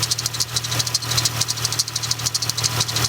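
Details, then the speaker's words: Chrysler 300 being repaired for overheating, idling after refilling coolant and JB Weld leak repair, no leaks: rapid light ticking chirps two or three a second over steady idle; owner says one pulley is making noise, not yet diagnosed. "One of these pulley is making a bit of a noise, so that's going to have to be looked at."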